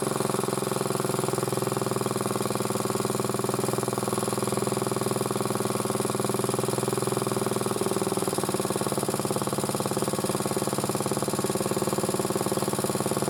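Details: Single-cylinder motor-cultivator, which knocked and stalled in autumn, runs after valve clearances were checked (intake 0.20, exhaust 0.15): even, steady beat and smooth drone with no valve-gear ticking; normal running.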